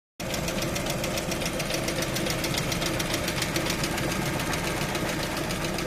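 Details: Lada Vesta engine warming up from cold: a sharp, fast ticking knock, roughly three or four a second, rides over the idle; the engine knocks while warming up.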